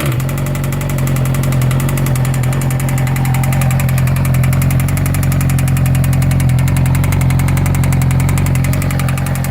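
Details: 2012 Yamaha R6 idling with a sharp regular knock three or four times a second; suspected spun bearing or connecting rod knock, owner hopes it is something less serious.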